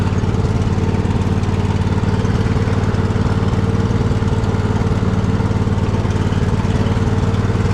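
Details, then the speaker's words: Poulan mud mower V-twin started on choke: rough thrum with a beat that stumbles and pops now and then. Engine misfire; needs servicing. "You hear that misfire? It's starting to pop a little bit. It just needs some servicing."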